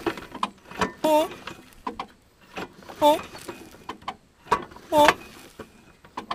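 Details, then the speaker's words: Worn-out push mower engine deliberately fed dirt, hand-turned: hissing, whistling puff on each compression stroke about every two seconds as compression leaks past a cylinder scored by sand deep enough to catch a fingernail; heavy carbon on piston. "As you guys can see, this engine is quite destroyed. There's sand in there, oil. I can catch all those scratches with my fingernail. Whenever I turn it over here."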